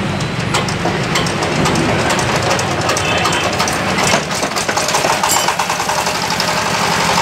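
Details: Yamaoke ZS1100 16 hp (16.5 hp max, rated 2200 rpm) direct-injection single-cylinder marine diesel on test: loud, rapid clatter with an even beat and steady speed; normal running.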